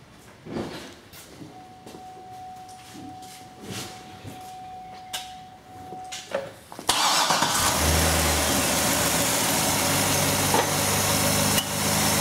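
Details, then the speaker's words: V8 starting and settling into a smooth, even idle around 600 rpm with no misses, immediately after installing an H-Tech Superb with MAF extension cord, before a 10–12 mile relearn. "okay okay here's your idle smooth as glass about 600 RPM this is immediately after installation"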